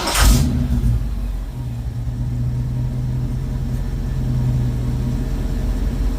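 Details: 1972 Mach 1 Mustang V8 with stock cam, restarted after running earlier (not quite cold), coolant topped up: deep, steady low rumble with even lope and light blip; smooth, docile idle, runs nicely.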